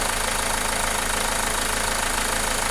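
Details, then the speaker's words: Renault Megane 2 engine after the fault is put right: steady idle with gentle even pulse, no shaking or misfire, engine settled. "يعني نشوفوا تو معنا الموتور كيف ارتاح، كيفاش ما عادش فيه حتى مشكل."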